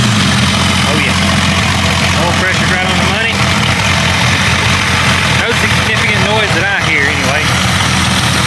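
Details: Jeep 5.0 (about 4.9) stroker with a stage three cam, warm or hot start after fitting longer push tubes to cure an engine noise. Smooth, even idle with a steady low rumble and no top-end ticking.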